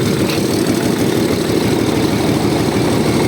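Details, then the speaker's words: Tractor from 2013 with under 1,000 engine hours, freshly rebuilt diesel running cold with no smoke and oil pressure around 4: steady, even, low idle chug with no knocks or misses. Normal idle; fenders shake slightly and there is a minor diesel leak. "принципі роби рівненько Не тіліпається"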